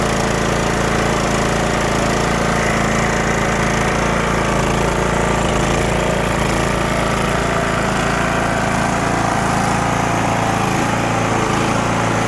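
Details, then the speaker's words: Cub Cadet LTX1045 riding mower, Kohler Courage 20 HP, kept dying off choke; after draining water-contaminated fuel, cleaning and new fuel filter: steady even drone, no surging or sputter; running normally. "so the thing at this point runs great because we got that bad fuel out of there cleaned everything up did the fuel filter"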